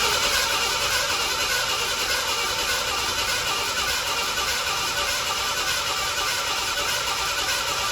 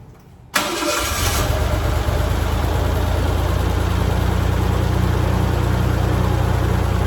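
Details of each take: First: 1987 Ford Bronco II, abandoned 15 years, after a fuel pump change: even starter cranking around 100 beats a minute under a hissy whine, with the fuel pump audible, never catching. Owner suspects no spark. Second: 1987 Ford Bronco II, revived after 15 years, restarted after sitting a week in a shop at about minus 15 outside: a brief crank, prompt catch, then a smooth, steady low idle with no misfires or knocking. Normal, before driving off.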